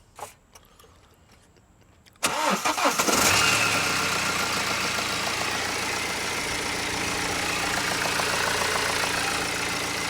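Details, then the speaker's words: 2013 BMW 118d E82, 2.0-litre N47 diesel, about 100,000 miles, EGR fault 4CAE: cold start catches and settles into idle with a steady rapid knock, three or four a second, worse under load; bottom end suspected failing. "you put pressure on it that's where it starts knocking but i don't think we'll put pressure on it we'll just leave it at the moon"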